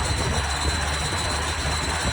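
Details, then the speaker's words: Mazda Miata after installing a Flyin' Miata exhaust: a harsh continuous screeching rattle with thin high squeal from the rear over the running engine, something rubbing on the spinning driveshaft. "in my last episode I installed a new exhaust on my Miata but after doing so my car started making this horrendous"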